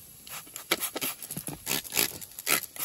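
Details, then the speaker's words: Turbo system disassembled, pressurised with an air compressor and sprayed with soapy water: sharp airy hiss bursts in uneven pulses with nothing underneath, air escaping at the boost tubing; boost leak found. "watch here you also hear a hissing hissing noise you probably hear that right now i'm sure you can hear that"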